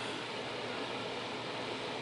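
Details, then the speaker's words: Newly installed, properly sized central air conditioner replacing a 19-year-old Ruud unit, heard indoors with door closed after charging refrigerant: only a soft, even air rush, no hum or rattle; running quietly and normally. "When I'm in the room and the door's closed, you can hardly hear"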